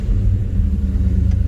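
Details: 1972 Chevelle Malibu 383 V8 after fitting Doug's 1 5/8 x 3" headers and Flowmaster 2.5" H-pipe exhaust: deep steady throaty rumble with chop, no rattles or ticks; louder inside and out, deeper tone; normal healthy exhaust note.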